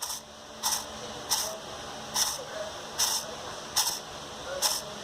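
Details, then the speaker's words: Fiat Linea Dualogic automated clutch on the bench, turned by hand: gritty rushing rasp about once a second. Worn clutch release bearing; the clutch disc is also worn out and the actuator is leaking oil. "O nosso rolamento, ó como que ele tá roncando,"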